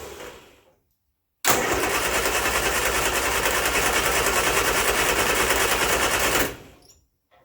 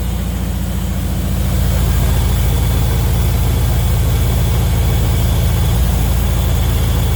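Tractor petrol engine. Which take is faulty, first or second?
first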